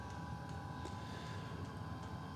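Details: Custom Webasto water heater and Chinese diesel heater hybrid, after bleeding an air bubble out of the fuel line: steady, even hum with a constant whir and no surging or pops. Burning smoothly and running properly.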